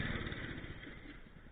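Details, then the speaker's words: Wheel Horse tractor's small single-cylinder engine putters at a steady low idle with an even beat and no knocks or misses; running healthy, no leaks seen, rear end topped up with oil. "horse is performing awesome i don't see any issues i don't hear any issues"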